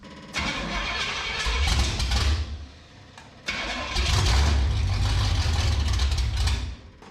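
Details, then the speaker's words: Abandoned 1967 Pontiac Firebird V8 after new plug wires and timing reset near 12 degrees: fires quickly to even steady idle, shut off, restarts cleanly with no misfire; earlier miss likely from a bad distributor cap. "happens what do you think I don't hear the mying no more no it's running good running real good"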